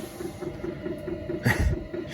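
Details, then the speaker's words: Newly installed diesel air heater in an MCI bus RV conversion, heard from inside: soft evenly spaced ticks about four or five a second under low burner rumble, warm air coming out. Normal running. "You can hear that pump just clicking away. I can definitely feel some warm air coming out of here."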